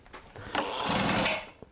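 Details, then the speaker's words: Almost-new 2-stroke Stihl BR450C leaf blower with a no-start problem. Electric starter cranks with the choke on and brings a brief metallic clatter, but the engine does not fire. The clatter "doesn't sound good"; it is an internal rattle of uncertain source. "motor) Y eso no suena bien por cierto."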